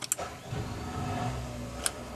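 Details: Houseboat generator, restarted after holding stop five seconds to reset and preheating three seconds; a couple of clicks, then it catches within half a second and settles into an even, steady run, a clean normal start.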